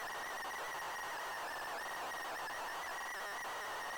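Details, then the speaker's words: ZX Spectrum cassette on tape deck: strained, wavering whine near two kilohertz with uneven warble as the deck struggles to pull a tape glued in its shell. "it's struggling to pull this tape through it's a strong tear it's all glued in there"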